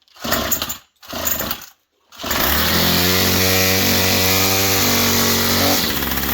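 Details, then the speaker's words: Straight-shaft string trimmer with plastic rear housing, choke on: two pulls, then it catches and settles into a steady, even high-pitched buzz; healthy running on choke, run to check exhaust outlet. "Let's fire it up, see where the exhaust comes out. Remember I told you this thing runs so good."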